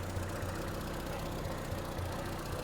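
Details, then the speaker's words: 1975 MG Midget 1500 after starting-fault diagnosis, on aftermarket coil pack with strong spark: low steady idle at 650–700 rpm, even beat, no misses or rattles, normal idle, lower than it has ever idled. "she's ticking over yeah she's ticking over between 650 and 700 RPM which is about where she should be I've never been able to get it tick over that low"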